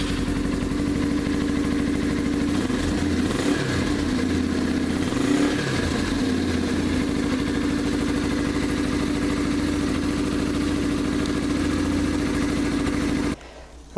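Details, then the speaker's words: 2015 Yamaha TTR 230, stock exhaust with baffle in (fully corked), before the full exhaust mod: an even single-cylinder thump at idle, a couple of quick blips rising and falling cleanly, muffled tone; normal, healthy. "I just want to give a a quick sound um a sound clip of what the stock exhaust sounds like with the baffle in"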